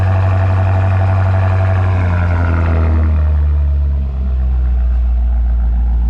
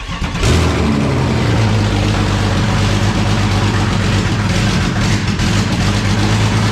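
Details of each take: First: BMW F95 X5M after Dinan muffler install, cold start: deep, even exhaust rumble settling from high cold-start revs to a steady lower idle, no knocks or misses; normal cold start idle. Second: BMW 335is engine with EWS deleted, no tune yet and a different IAT sensor: loud running with an uneven lumpy pulse near four beats a second; runs rough, needs tuning, cause not confirmed.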